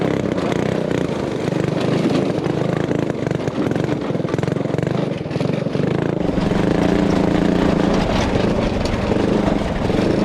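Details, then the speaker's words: Honda 5HP overhead-cam engine on a yard go-kart during a ride: uneven, stumbling beat that breaks up and sputters under load instead of a clean drone; fuel cap vent suspected, possibly out of gas, unconfirmed. "I think the cap, you know, the vent, Yeah. because it kept spitting and sputtering."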